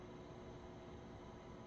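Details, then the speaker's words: PC rebuilt with ASUS ROG STRIX X670E-I Gaming WiFi motherboard and AMD Ryzen 9 9900X: soft steady fan whoosh at boot, no rattles or ticking; fans somewhat noisy at startup, then quiet once booting; normal startup fan noise. "you can hear the startup the fans are somewhat noisy and then once it's actually booting they go quiet"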